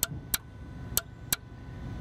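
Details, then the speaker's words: 2002 Dodge Caravan stuck in second gear (limp mode, P0888): transmission relay energized with a test light on its control circuit, four sharp clean clicks; relay control and ground working, power missing elsewhere. "the test light is actually dim because we are dropping some of the voltage through the coil into ground but the fact that it clicks tells me the ground is good tells me the control of the relay can work"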